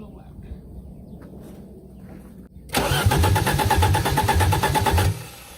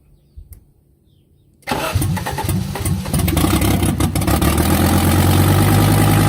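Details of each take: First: 1984 Audi 4000 Quattro 5-cylinder, first start after reassembling intake, CIS fuel injection, ignition and vacuum, exhaust disconnected: quiet, then about 2.5 seconds of rhythmic starter churning at roughly three beats a second, stopping without catching. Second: 1984 Audi 4000 Quattro five-cylinder, first start after reassembling the intake, CIS fuel injection, vacuum and ignition, with exhaust disconnected: cranking quickly catches into a loud, raw but even idle; it starts and runs fine.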